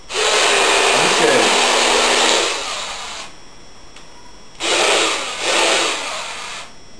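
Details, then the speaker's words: Taiff hair dryer running: loud airflow rush with a thin squeaky chirp; worn motor bushing that needs replacing. "chiado que vocês estão escutando é um barulho que fica um barulho como se chama, em uma bucha que ela vai ter que ser trocada."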